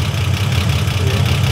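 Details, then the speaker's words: 1955 Ford Popular engine with Holley carburettor re-jetted to bigger jets: even, steady note revving with clean firing, no misses, pops or knocks; sounds sharp and healthy at idle and revving. "hey chaps we fitted the bigger jets and it sounds really good"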